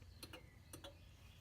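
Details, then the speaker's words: RV automatic entry step motor, triggered by holding a magnet at the door sensor: two pairs of short sharp clicks over a faint hum as the motor tries to engage, but the step does not move. Motor gets power; dirt in the mechanism suspected. "I suspect that that mechanism has got dirt in it and that's what's keeping the step from extending and retracting because we could hear the motor clicking like it's trying to engage one that put the magnet in front"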